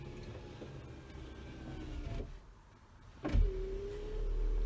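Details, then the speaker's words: 1997 TVR Cerbera passenger power window: steady motor whir that sounds a bit sluggish as the glass rises; window slow going up, attributed to the car's age. "It's a little bit slow going up, but you know, it's an older car."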